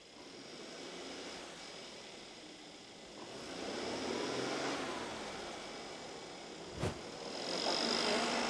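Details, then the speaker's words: Mercedes S400 (W222) shaking, with warning lights and misfire counts on cylinder 5, sounding worse as it heats: revved about 1500 rpm with an uneven, stumbling beat; misfire. "열 받으니까 엔진 소리가 더 이상해졌어"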